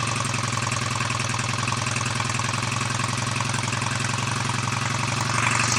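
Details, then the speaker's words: BSA A65 Lightning twin, first start after full engine rebuild, Pazon electronic ignition backplate just nudged to advance timing: steady firing beat about three or four per second, flat and lazy; ignition timing still a little retarded. "so that'll advance it a bit whether it'll be enough or not see in a moment"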